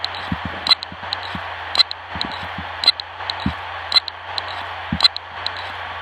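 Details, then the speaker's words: Hard drive from an old broken pink Dell laptop, plugged in over USB, not rotating; sharp dry clicks about once a second over faint hiss, no spin-up whir, clicking a couple of times then stopping; click of death. "This sound is called clicks of death. It's every time when it clicks a couple of times and it stops."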